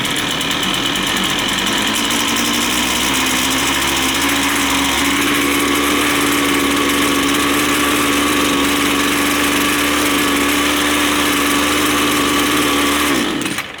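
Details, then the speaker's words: Two-stroke line trimmer during carburetor adjustment: buzz climbs in pitch then holds a high, steady fast idle, still not sounding right, idle set high enough to spin the trimmer head; idle speed too high. "So now we can see it's running, it's still not sounding right."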